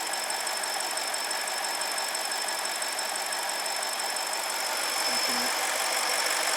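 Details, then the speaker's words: 2006 BMW 750 N62 at idle: thin steady high whistle that doesn't waver; crankcase not sealed, vacuum below 1.18 inHg spec, most likely a torn crankcase vent diaphragm, common on this engine, causing drivability problems. "that again and so so we are not uh we are not pulling enough vacuum because it's not sealing because there's a leak most likely a tear and then so our level is not as high and that too can create drivability problems"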